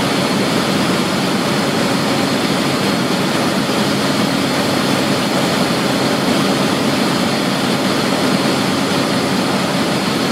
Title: ACCUSIM: Cavitation in a pump at best efficiency point